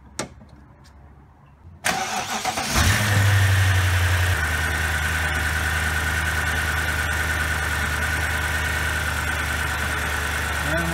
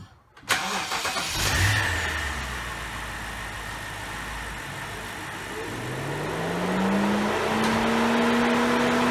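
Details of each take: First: 2007 BMW X5 4.8 after thermostat replacement (code P0128, fan had run on high), air duct off to check for leaks: starter whirrs, engine catches with a short flare, then settles to a steady even idle; fan not coming on, no leaks. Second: 2007 BMW X5 4.8 with code P0128 and a coolant leak at the thermostat, before thermostat replacement: engine starts, then a rising whooshing hum climbs and holds loud over idle; cooling fan kicking on high, thermostat suspected.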